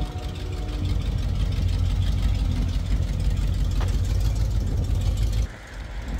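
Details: 1974 AMC Javelin, sat about 20 years, with AC on: deep uneven idle with a loping roughly three-per-second low beat that never settles — rough running, transmission also slips; cause not confirmed.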